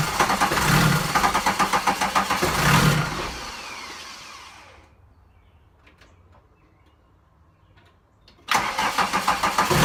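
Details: VW 1.6 TD diesel: the starter churns rhythmically, the engine catches briefly and surges, then fades, and cranking resumes. Crank no-start with surging; cause not confirmed.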